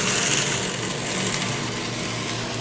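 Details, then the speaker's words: Centrifugal pump with the valve reopened, raising suction-side pressure until the water no longer flashes or cavitates: steady, even motor hum and smooth water hiss with no rock-like rattling, so the pump runs normally. "That increases the pressure on the suction side of the pump, less and less vacuum, until we no longer flash, and we no longer cavitate. And that's a happy pump."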